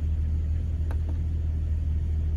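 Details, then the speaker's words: 1999 Jeep Cherokee 4.0 just after installing 4-hole fuel injector upgrade, first start: steady, even low idle rumble with audible injector ticking, no misses or surging; running well, expected to smooth further as computer relearns fuel trims. "zero running pretty good you can hear the little fuel injectors ticking away"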